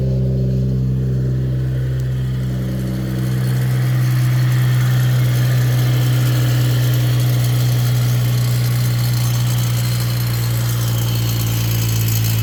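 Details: Brand-new 2022 Mercedes-AMG E53, M256 3.0L inline-six, about two months old: cold-start fast idle drops after a few seconds, with a buzzy lawnmower-like rattle around four per second on the turbo side; owner suspects the wastegate and its actuator rod.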